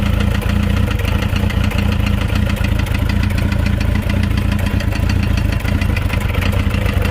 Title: Motorcycle Engine makes knocking noise